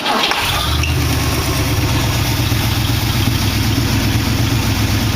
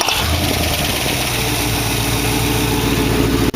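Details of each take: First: Engine with a dual four-barrel carburettor setup, carburettor still needing cleaning: the engine catches and settles into a lumpy, uneven idle with a regular stumble, one cylinder dropping out. Misfire on one cylinder. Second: Dual-quad V8 in a 1914 vehicle build with direct, non-progressive linkage; idle still a little fast. It fires right up and settles to a steady, even idle with no misses. There is heavy smoke at startup, which the owner suspects is an oil seal. Normal start and idle.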